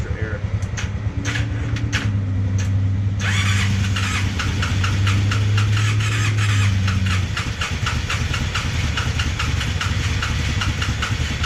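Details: Polaris Sportsman 600 ATV engine: starter cranks, engine catches briefly with uneven firing, then falters and never settles; hard starting from very low compression, only 120 psi in one cylinder.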